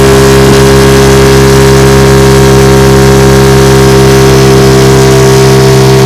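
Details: Restored 1950 Johnson TN-28 5 HP outboard on final bayou test run: loud, steady, even drone at constant speed, no misses or surging; running strong and healthy.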